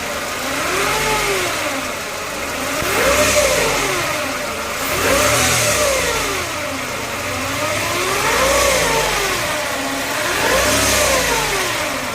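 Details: Mercedes-Benz E220 W124 petrol engine revved with the fan belt removed. Raspy metallic hiss climbs and fades with each rev; owner asks whether it is timing chain noise. Engine noise when revving, cause unconfirmed.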